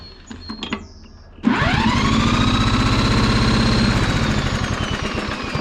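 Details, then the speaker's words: Fairly new Troy-Bilt lawn mower, no-start complaint, recoil string broken, cranked with a drill after fresh gas sprayed in with choke open: fast steady churn about four beats a second that never fires; cranks but will not start, suspected no spark. "now if this was getting spark that a little bit of gas I sprayed in there and that's fresh gas this should have kicked over so we know at the very least we're not getting spark"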